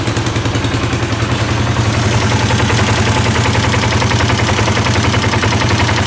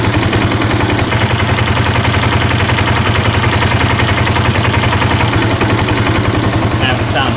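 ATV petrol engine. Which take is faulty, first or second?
first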